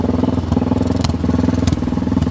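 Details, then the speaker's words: Motorcycle on the road with loud, raw popping exhaust pulses rising and falling with throttle; muffler end piece came loose when its hanger detached, leaking exhaust. "suara motor Kok gede sekali ternyata ininya knalpotnya ini ada yang lepas itu teman-teman"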